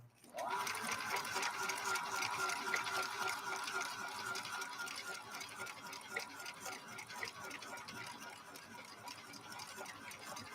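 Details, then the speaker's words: Viking Husqvarna 3230 sewing machine, rescued after smoking, stitching in slow gear at one fifth of regular speed; slow, even whirring with steady ticking about four beats a second and no catching or grinding. Normal running in slow gear. "You hear how different the machine sounds. Listen to that machine run. You can tell that it's been geared down. So instead of running at full speed, it's now running at 1/5 of the regular speed."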